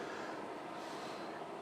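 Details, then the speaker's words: MIG/MAG welder shielding gas (CO2 or gas mixture) flowing once the bottle regulator is opened, flow judged by ear; steady, even hiss with no sputter, gas coming through properly. "There is a million calculations how much air you need, I mean CO2 or gas mixture for a good weld, but experienced welder can do that by sound like this."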